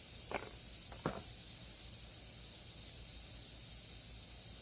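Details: 2016 Toyota Highlander tire raised on a jack while being plugged with a plug kit: steady high-pitched hiss of air escaping through the open puncture, with a couple of tool clicks; tire air leak.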